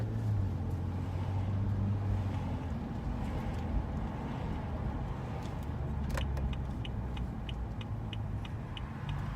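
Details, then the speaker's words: BMW M235i on a morning commute at 52 degrees, cabin mic with windows cracked, after caliper grease was applied: thin high brake squeal, also on steering, over road rumble and clicking; squeal not fixed. "yep that's a squeal so I'm just hoping it got better like obviously squeal is still here but did it improve was there less squeal now"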